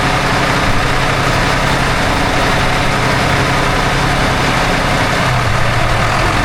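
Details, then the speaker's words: Port engine of 47 ft Carver motor yacht brought to about 1500 rpm: loud steady diesel drone, even pitch, no grinding or squeal; no more noise, belt no longer flaking. "No more noise."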